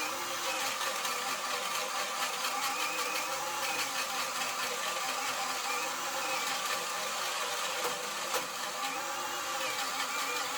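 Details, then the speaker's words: Narex CSP 12-2 Basic cordless drill, 20 V 4 Ah battery fully charged, in second gear boring a 65 mm hole in soft spruce under extreme load: motor labours with a dry, rapid clatter and swelling drone; gearbox rattle, possibly from damage. "mais en général la transmission reste un peu bruyante , donc il y a des cliquetis qui est probablement causé par des dommages lors"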